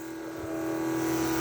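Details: 1980 Trans Am nitrous kit fuel system: electric fuel pump running while setting nitrous fuel pressure, fuel squirting from the jet. Steady, even whine at a constant mid pitch with no surging or rattles; holds 9 psi, no leaks.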